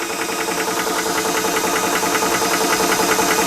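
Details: Ballistic 12V PCP compressor, 3-stage, 350 W, rated to 300 bar, filling a rifle via probe with gauge cut-off set at 3000 psi; loud steady buzz with fast even pulse about 2.5 beats a second, compressor filling normally.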